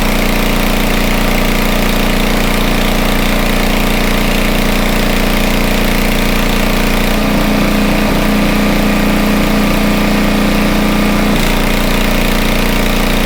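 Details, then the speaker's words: Homelite 2500 W generator, no load, meter connected: steady even mid-pitch drone, no misses or knocks, holding speed; normal no-load running, speed could be a little higher but decent. "Could be a little higher. But at the same time, it's pretty decent."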